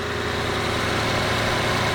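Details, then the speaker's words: Lexus LS460 V8 at idle after replacing the serpentine belt tensioner: smooth, even idle with no chirp, squeal or rattle; the pulleys are now silent. "That is the sound of success. Pulleys are silent."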